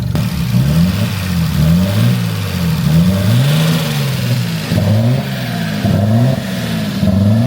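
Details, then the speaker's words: Nissan 240SX with RB engine, 2-year-old fuel, possible limp mode: revs up and settles back repeatedly, pitch tracking throttle with no misses; runs nicely. "Let's go. Hell yeah. >> My work here is done. It runs nice."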